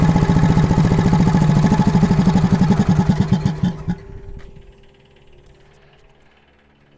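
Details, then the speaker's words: Engine on an old air compressor with a new electronic distributor, timing still being adjusted by ear after slowly reaching 60 psi; pulses start even, then falter and die; rough running and stalling, needs more distributor adjustment. "I stalled it out. Um, I need a little more adjustment on this this rotor here."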